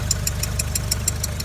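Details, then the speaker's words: Skoda Octavia Tour 1.4 BCA 16-valve, idling: a sharp, light tick about six times a second over a smooth idle, following engine speed, from the cylinder head; owner first suspected hydraulic lifters but bleeding them did not help, cause unknown. "вот слышно стук небольшой всё думал на гидре сейчас уже какие-то сомнения появились звук как будто с этой стороны но идёт из головы"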